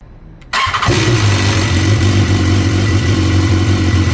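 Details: 2016 BMW S1000R after replacing the hydraulic cam chain tensioner with a manual one: the cold start catches after a brief crank and settles into a steady, even idle with no cam chain rattle, sounding healthy.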